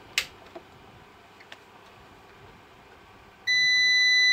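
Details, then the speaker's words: Koss/Centron UPS (roughly 700–800 W) sounds a continuous high-pitched beep at switch-on and will not power up. The cause is its failed internal 12 V sealed lead-acid battery, which is being replaced; this is a battery fault alarm. "as you can hear this deep goes on non-stop and it's damn irritating all right and also I can't I couldn't power the damn thing up right doesn't do anything"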